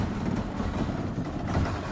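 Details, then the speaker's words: Ford Taunus 2.0 OHC EFI at idle: rough, lumpy, hissing, running on two cylinders though fuel and spark reach all four and high revs run on all; valves, injectors, plugs, leads checked; hissing suggests vacuum leak at rear intake, not confirmed. "Na wyższych obrotach chodzi na wszystkie. Ale wolne, bardzo nierówne i syczące."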